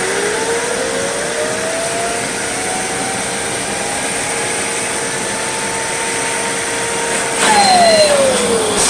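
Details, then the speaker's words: Riccar 8850 vacuum motor, run backwards on an adapter with brushes removed and RPM slowly ramped before commutator polishing: a smooth, clean rising whine with no grinding or rattle. The bearings sound healthy. "I'm going to run this thing backwards and see how it sounds first and I'm going to slowly ramp up the RPM and if everything sounds good then I'll go ahead and put the polishing stone on"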